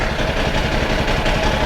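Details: Benelli 899 TNT motorcycle with check-engine light, coils checked one at a time without scanner; short idle with slightly lumpy, uneven beat as one cylinder drops out; coil tests good, suspicion on injector coil or connectors.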